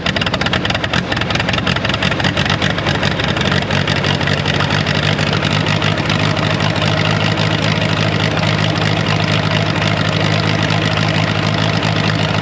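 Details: Wisconsin V4 engine on R40 Ditch Witch after converting points to Hot Spark electronic ignition and new switch, distributor timing adjusted by ear without timing light: catches and settles into steady even idle, smooth low rumble, no misses; normal idle.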